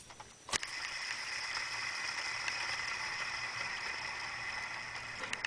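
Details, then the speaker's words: BMW 330i E46 idler (deflection) pulley on the water pump, alternator and power steering side, spun by hand with the belt off, before replacement. A dry, loose, hissing rattle with high ringing tones: worn idler pulley bearing. "here's a quick demonstration of what an idler pulley sounds like uh once it's uh once it's bearings has worn"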